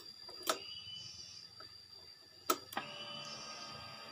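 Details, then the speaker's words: Honda Beat injection scooter, key on: a couple of light clicks then faint steady fuel pump priming hum, working with the ground wire touched to body ground/battery negative; fault was ECU lacking ground. "Ini full pumpnya langsung mendengung. Oke, saya perlihatkan ya. Ini dengarkan. Full pumpnya langsung mendengung."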